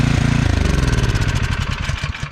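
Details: Cub Cadet two-stage snowblower that would not start from congealed ethanol fuel; carburetor enclosed and a new gasket needed. Pull-started at a little under full throttle, it catches and settles into a steady, even single-cylinder putter with no sputter or stalling, running normally.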